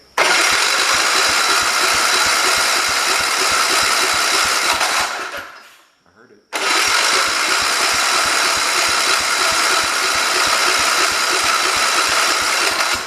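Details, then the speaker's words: 1973 112 tractor with Kohler K301 single-cylinder, first start after head gasket replacement and valve adjustment: catches on the second try, then thumps along at a steady even beat with no knocks or misses; idles better than before. "There we go, it runs. Cool. Seems like it's idling a lot better after I adjusted the valves."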